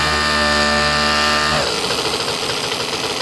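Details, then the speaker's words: New, never-run nitro RC engine on first break-in tank, cold weather, glow igniter on, under quarter throttle, temperature about 200: steady high scream drops into rough burbling blubber; running really rich while low-speed needle is being leaned. "really rich you can hear it there we go"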